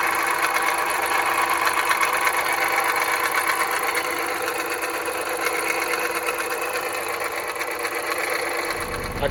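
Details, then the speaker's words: 2010 Jeep Patriot Sport 2.0 idling: uneven metallic clatter over steady whir at engine front; power steering pump replaced without cure, pulleys suspected; worn alternator bearing, replacement fixed it. "2010 Jeep Patriot sport 2.0 weird noises coming from the engine I thought it was the power steering pump"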